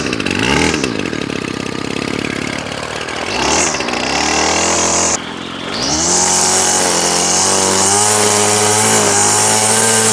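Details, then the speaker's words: Old Ryobi Grass Scorpion RCT-2800 two-stroke trimmer, unused for years, revived with fresh fuel and new fuel lines and primer bulb, carb not cleaned, warming up: buzzes up from idle to a steady even drone, revs cleanly; runs well, no tuning needed. "you know what guys I'm not even going to tune this it was running fine it idles quite well it's got plenty of power"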